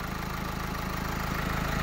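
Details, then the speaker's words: Renault Twingo 2 1.5 dCi with a replaced engine that had an unstable idle and stalled: after replacing the faulty high-pressure fuel pressure regulator, it idles evenly and steadily on all 4 cylinders, with no bubbles in the fuel return circuit. "elle tourne en 4 cylindres le ralenti est devenu stable"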